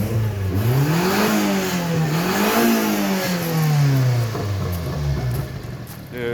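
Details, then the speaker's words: 1992 Subaru Sambar KS4 minitruck revving up and down after a valve cover gasket, grommet and distributor o-ring replacement, still smoking as residual oil burns off; rough gargling burble from a leaking exhaust flex pipe. "that little gargle i would say keep the exhaust broken just to keep that gargle in there but it's definitely still smoking"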